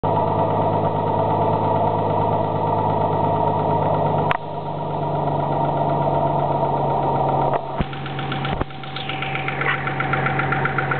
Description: This was the noise my engine was making before the I changed the oil and added a quart of ATF to try and clean the lifters.